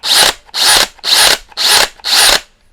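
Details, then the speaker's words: Teccpo brushless impact drill (60/70 Nm models) in second speed: five short whirring bursts, each with a bright gear whine. It is louder than first speed, a noise put down to the spindle-lock cylinders and nothing to worry about. "en deuxième vitesse, cela fait plus de bruit. il n'y a pas de quoi, disons, s'inquiéter"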